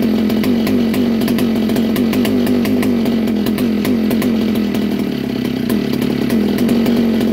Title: vintage kart. All original 1961 Fox Kart, McCullough Mac 91. First start in years